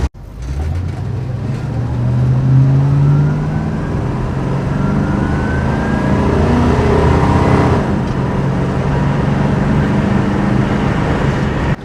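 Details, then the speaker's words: Barn-find 1966 Ford Thunderbird big-block V8, about 4,400 lb, first drive after sitting since 1988, new fuel tank and cooling work, warmed up: deep, even rumble swelling strongly under hard throttle, no knocks or misses, healthy acceleration. "overall everything's working and it's driving and it sounds good"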